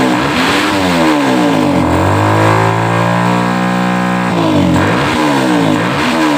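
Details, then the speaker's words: Stock Suzuki Satria FU 150 single-cylinder before porting, owner says it is standard: single revs climb and fall back slowly, with no sharp snap at the top; the engine is slow to gain revs and won't scream. "agak sedikit telat ya Ini kata si pemiliknya masih standaran ya"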